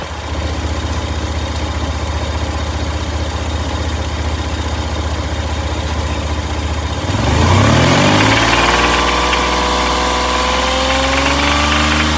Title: #toyota rod knock rattle